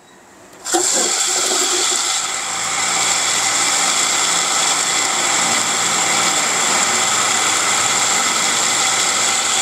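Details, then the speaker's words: Semi-jet water pump (jet 100 bit) fitted with an automatic pressure control, test run: starts and settles into a steady, even, very quiet hum with a smooth high hiss, little difference between on and off; no knocks or surging, running healthy. "Nah, yang saya suka dari pompa semi jet yang jet 400 bit ini adalah suaranya halus ya. Ini kawan-kawan bisa dengarkan. Bahkan antara nyala dan mati atau hidup dan mati itu enggak beda jauh suaranya ya karena sangat halus kawan-kawan."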